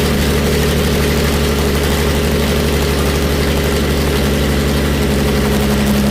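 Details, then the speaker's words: Jaguar E-Type 2+2 six-cylinder under restoration, running with no exhaust fitted: loud, raw open-pipe bark at a steady, even idle; all six cylinders sound like they are firing. "then we're going to need an exhaust pipe here um i think you're going to need an exhaust but that did sound like it was running on six cylinders"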